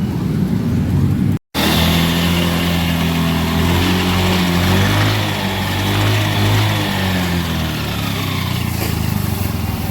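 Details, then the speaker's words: 2019 Yamaha Mio X-Ride scooter after new final drive oil and only the pulley shaft replaced: steady low gear hum rising and falling with road speed, milder than before; worn final drive bearings still need a full set. "Berisiknya masih ada ya. Dan saya udah jelaskan dari awal, ini berisiknya nggak bakalan hilang."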